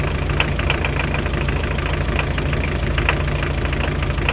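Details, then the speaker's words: Hyundai Terracan 2.5 diesel D4BH after swapping injectors onto a new cylinder head: rough idle with sharp metallic knock about three times a second; loosening the fourth injector's line stops it, confirming injector 4 knocks. "Вот походу форсунка, и я знаю, какая. Это четвёртая."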